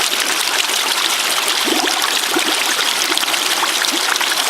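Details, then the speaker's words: Ram pump drive line after a blockage in the intake: constant rushing water with irregular gurgles and spitting bursts as trapped air blows through; debris suspected in the cap, possibly a stick in the line; air in drive line. "Alright, there's some air. I think I'm just going to leave it like this for a minute. I'm going to go back up to the top. I probably got more shit in the cap again. Definitely a lot of air in there."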